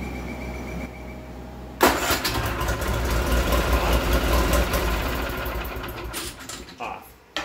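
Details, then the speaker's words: Argo Magnum 8x8 after ignition repair and battery replacement: quiet, then the engine cranks, catches into a steady busy run and cuts off cleanly at the key; normal start and shutdown, repair successful. "well hopefully you just saw a video of the argo starting up and then shutting off by the key"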